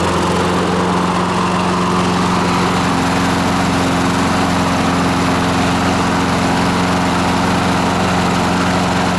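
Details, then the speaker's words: Free scavenged lawn mower after its cooling tins were blown out and refitted: a steady, even drone holding constant speed without hunting or surging; the governor now works and the mower runs right. "that's better now everything can kind of move like it's supposed to the governor can govern that's better"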